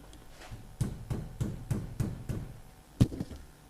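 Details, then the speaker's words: Nissan S15 drift car after replacing rose-joint rear arms with polybush: dull, solid taps on the rear suspension arm land cleanly with no rattle. The earlier knock is gone. "And the knock's gone. Thank you very much. So glad I went to the Polybush."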